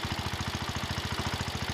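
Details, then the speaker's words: John Deere 110 garden tractor single-cylinder engine at idle after rod-knock repair and fuel tank cleanout: steady, even firing with light lifter tick, some rattle likely from belts flopping around, and no rod knock; normal idle. "okay that sounds better now I hear the lifters ticking and some other stuff rattling sounds like the belts flopping around"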